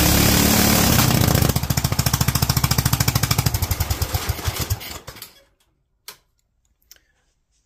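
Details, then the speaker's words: Kohler single-cylinder engine with Honda carburetor, .024 idle jet and 45 main jet: strong beat whose firing pulses slow, spread out and die, floating at 42; lean, main jet dropped too small. "hate to say it but judging from how that seems to just want to float at 42 I think we dropped a little too much"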